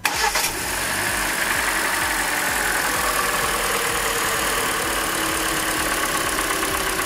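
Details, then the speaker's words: Hyundai Elantra 1.8 engine, 69k miles, restarted at idle before injectors are unplugged one by one: steady idle with a light, fast ticking still present; owner suspects piston slap, not confirmed. "still ticking noise. I'm going to disconnect the injectors."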